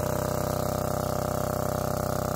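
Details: Lombardini 15LD400 diesel generator, barn find with electric start, oil checked, on a temporary fuel tank. Loud, even chug at constant speed with regular firing pulses, no knocks or surging; normal running.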